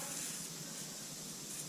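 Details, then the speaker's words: Tire on newly installed tires that lost all air overnight; the valve stem was not replaced and leaks intermittently when wiggled, bubbling only when moved; a thin continuous hiss of escaping air over a quiet background. "You see this valve is no good. It's leaking as I touch. Sometimes it won't leak. You gotta move it around."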